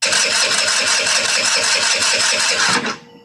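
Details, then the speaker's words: MVP 49cc Chinese scooter, cranking with airbox parts not yet hooked up: rapid starter chatter, never fires, acting flooded; lots of fuel pulled through but dripping out the back instead of going in. "So, it's pulling tons of fuel, but it's literally just leaking out the back end down here."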